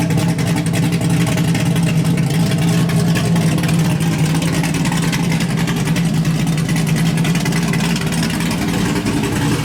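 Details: LS1-swapped Hyundai Genesis Coupe with a refreshed engine on a base tune, first runs: deep, steady V8 idle holding an even beat with no knocks or misses, running smoothly. A temperature issue is noted.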